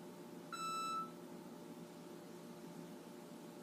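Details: Six-month-old Frigidaire gas range FPGF3077QF beeps non-stop, waking the owner at night until power is cut, then recurs days later: a single half-second electronic beep over kitchen hum. The faulty main control board was replaced.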